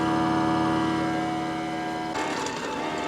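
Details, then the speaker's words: Ecovacs Deebot X9 Pro Omni base station starting vacuum-and-mop: steady whirring pump tone dropping into a softer, busier mechanical whirr as it pumps water and vinegar cleaning solution into the mop and refills the robot's reservoir; normal pumping. "This is where it's pumping water into the mop, getting the mop prepped, and also pumping the reservoir on the robot up with water."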